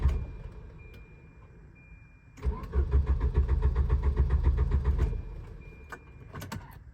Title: Volvo 740 Crank/No Start